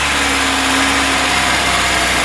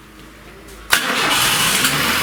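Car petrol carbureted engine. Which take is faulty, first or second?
second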